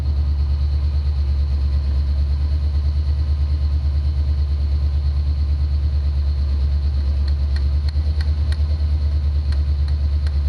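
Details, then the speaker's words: 1990 Ford Mustang 5.0 GT V8, sat over 4 years with engine apart, new fuel pump: deep rumble at raised idle with uneven loping beat about three a second while injectors are hammered; three-cylinder misfire from bad, suspected sticking injectors. "i've run into a couple of problems i've got three cylinder misfires i've got two injectors bad on the driver's side of the car and one bad on the passenger side"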